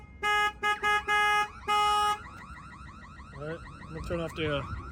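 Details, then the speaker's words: 2023 RAM Promaster with a newly installed alarm and remote starter, set off as if someone were banging on the window: loud repeating stepped siren bursts, then warbling sweeps. Alarm working properly. "If somebody walks up and they're banging the window, it's going to set off the alarm."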